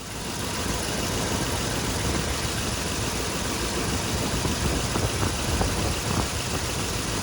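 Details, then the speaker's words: Ford 4.6L V8 in an '05 F-150 with a nasty misfire, scanner showing nothing, new spark plugs: idle with an uneven, stumbling beat and occasional heavier thumps; one coil not firing, with oil found in it, suspected bad coil pack. "Um, one of these isn't firing. And when I checked it last time, it had oil in it."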